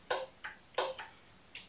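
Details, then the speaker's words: Bobcat zero-turn mower that won't start, parking brake set and arms in park: turning the key gives only sharp solenoid clicks with no cranking; the starter motor is not engaging, and battery voltage is checked next. "if you listen closely turn the key on you can hear a solenoid"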